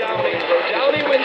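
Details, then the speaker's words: ATS-25 receiver with new firmware, BBC Radio 4 on longwave, AGC switched off: harsh, hissy, smeared broadcast with the voice buried in crackling noise, total overload distortion. "if i turn the agc off listen to that total distortion"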